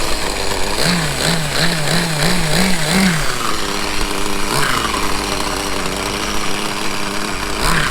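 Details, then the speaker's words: Vintage 1/5 scale Victory Hawk nitro RC motorcycle, start after 10 years boxed, with replaced flywheel and steering servo and a glow plug switch: the small nitro engine buzzes high, revs blipped up and down, then settles steady; runs normally. "Yes, let's start. After 10 years, it worked at the first try."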